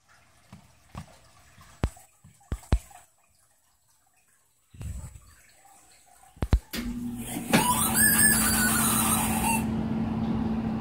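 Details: Goodman heat pump, TXV replaced two winters ago: clicks, then rush and thin rising whistle fading in seconds when heating kicks on, intermittent, mainly at night, since valve replacement; suspected noisy TXV, unconfirmed.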